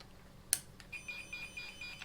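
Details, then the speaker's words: Tone tracer probe on a 100-foot RJ11 cable while troubleshooting a non-working Dometic air conditioner and heater; faint high chirping tone pulsing about five times a second, confirming the signal gets through the cable. "this is sending a signal out that you can hear and then you can verify that on this other end because that is a hundred foot long"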